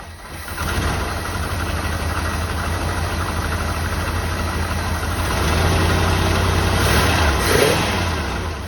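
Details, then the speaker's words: 1984 Jeep Wagoneer V8, just revived, low idle after choke fast idle drops off: slightly uneven idle with faint rhythmic rattle; unidentified noise, source unknown. "it seem like it's making noise well there's something making noise I can't tell what it is"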